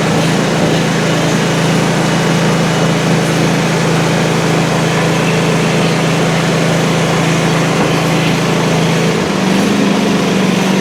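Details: Country Clipper Challenger 52-inch zero-turn mower that came in locked up and not cranking, low on oil and burning oil. Once running after a battery charge and carb cleaner, it gives a steady, even hum with no knock or misfire.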